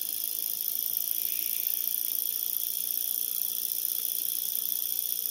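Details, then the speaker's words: Tiny hobby-kit brushed motor on a bench power supply set to 1.5 V after brush and contact adjustment: faint, even high-pitched whir with a fine steady buzz, no catching or slowing; spins freely and runs normally. "I'll turn it on, and you just give it a spin, and it should start turning on its own."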